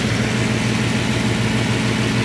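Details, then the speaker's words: Bentley W12 engine at idle: dense metallic rattle over a low hum; the rear bearing, probably of the alternator or possibly an idler pulley, is completely broken; the engine internals are not the cause. "so das hintere Lager ist komplett kaputt heftig Lager von der Lichtmaschine oder so so oder eine Umlenkrolle keine Ahnung"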